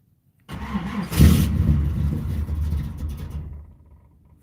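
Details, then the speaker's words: Box Chevy Caprice with check engine light on and weakening battery, started on a cold day: cranks and catches with an uneven, lumpy rumble that sags and fades within seconds; hard cold start with stumbling. "Uhhuh. Yep. It's cold outside, so it's kind of acting up. This thing has been giving me a headache since I got it."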